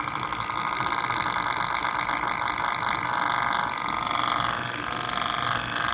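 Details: MSI GS30 laptop, fan model PAAD07010SH N263: fast uneven buzzing rattle over a steady fan whir that never settles; fan chattering as it spins, cause suspected, not confirmed.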